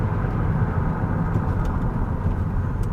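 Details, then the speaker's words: GMC Acadia that sat two weeks, road test with light braking: only low, even road and engine rumble while slowing, no squeal or grinding. Brakes sound quiet and feel good, though slight brake noise was noted earlier in reverse. "I don't hear any noise they feel good"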